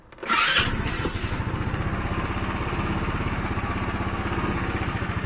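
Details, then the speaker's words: GY6 scooter that sat a week on vacation: catches with a quick burst, then a slow labouring putter as rpm struggles and it dies. Battery and spark plug were checked good. "start rpm struggling and this turn off it's trying to start again struggling then turn off"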